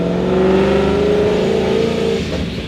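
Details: Paxton-supercharged Ford 5.0 V8 with newly installed ported Boss intake manifold, driving after install: strong clean pull with steady rising supercharger whine, no misses or rattles; healthy under load.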